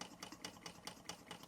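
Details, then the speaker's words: Bing 10/110 poppet valve toy steam engine on original spirit burners, now at 1 bar, maintenance run: light, crisp chuffs about four or five a second, evenly spaced, no hiss between beats; healthy, no leaks, running like a Swiss watch. "Very nice machine, no leaks. Original burners going in now. Engine running like a Swiss watch."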